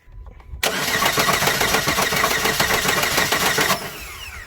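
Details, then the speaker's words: Chevy Sonic after being jumped off a 10-foot wall, starter relay possibly stuck on: engine spins about four beats a second without firing, sounds broken inside; timing belt found broken; crank no start. "It sounds like internally there's something going on with that end. Yeah, it sounds like something's broken inside of it."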